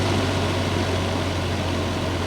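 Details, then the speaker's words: Honeywell 50100 air purifier on its first startup of the season after sitting since spring: steady low hum with dull rushing airflow, motor laboured from stiff bearings needing lubrication; owner expects it to run fine on low once warm. "Once it warms up, it'll probably run on low without a problem."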